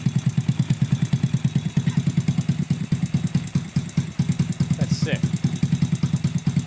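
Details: Honda Grom clone single-cylinder after valve adjustment, no air filter, oil of unknown age: even thump about two beats a second, no ticking or puffing, no exhaust leak felt; healthy idle.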